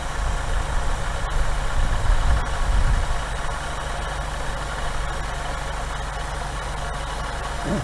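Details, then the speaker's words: 1964 Buick Riviera V8 after the carburetor mixture screws were adjusted by tachometer (no vacuum gauge), idling at 800 rpm: a steady, even low rumble with no hunting. One mixture screw had little effect, possibly dirty carb. Smooth idle. "See how much smoother it is? Now I'm able to get it down to 800."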